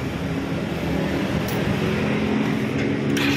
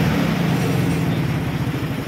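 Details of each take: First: R180 motorcycle running after repair: steady even hum free of knocking or grinding; damper bearing found worn by stethoscope diagnosis and damaged part replaced, noise gone. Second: Scooter (R180) engine running with rough, pulsing low rumble, confirmed by stethoscope as a badly worn, crushed damper bearing inside; after replacing it the noise was gone.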